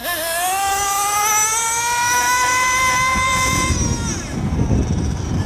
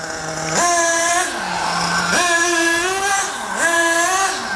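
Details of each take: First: Nitro RC car engine, high-speed needle tuning on a long stretch of road: high, clean rising scream held steady through the pass, no pinging or crackle, constant blue smoke showing good lubrication; temperature afterward 220, slightly rich. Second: Nitro RC car engine with the low-speed needle turned further clockwise (leaner): a high buzzing note steps up and sags repeatedly as idle RPM climbs.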